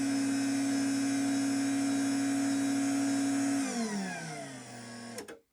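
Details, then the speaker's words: LiftMaster 87504-267 belt-drive garage door opener (2021) with factory-style foam revisions: a steady high-pitched whine while running, then it winds down and stops. No plastic buzz; it sounds like a healthy, normal opener. "Definitely has a high pitched whine to it, but I like I said, I'd rather hear that than the buzzing of the plastic that would sound like a 90 series Craftsman,"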